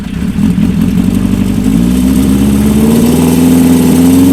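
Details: Old Honda multi-cylinder bike (CB550 or CB400F) after resetting the timing chain tensioner, syncing carbs and letting float bowls fill: catches and idles, then revs climb smoothly with even firing, no clear knock or rattle.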